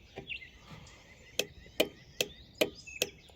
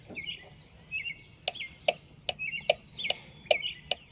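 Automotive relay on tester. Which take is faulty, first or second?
first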